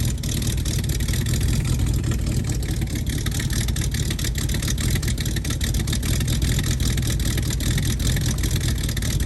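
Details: 1969 Mustang V8 that sat 15 years, after fixing a bad vacuum leak; had puffed some smoke on earlier revs: revs up and falls back with a deep, even roar, no vacuum-leak hiss or scream, normal revving.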